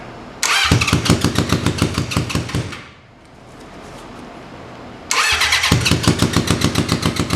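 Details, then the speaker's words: 1980 Honda CB750 that sat 35 years, primed with gas: fast, even cranking about three and a half beats per second, stops, cranks again, never catches; cranks but no start; owner suspects flooding, carburetors to be checked. "all right this will be the last time once we get it running probably flooded i have no luck"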